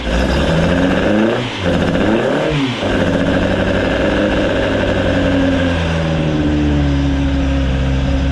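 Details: Rebuilt Ford crossflow race engine in a Vixen with loaned cylinder head, first start after repair; two clean throttle blips settling to a steady even lope, no knocks or misses; sounds healthy.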